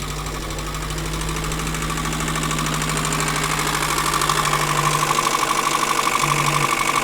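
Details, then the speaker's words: Diesel vehicle, likely parked up for a while, just started with oil leaking out; runs rough and uneven, knock about three beats per second with loud clatter; crankcase pressure suspected, sounds "clammy", unconfirmed. "Oh, I think there might be a bit of crankcase pressure there, but it might come around. Does sound a bit clammy,"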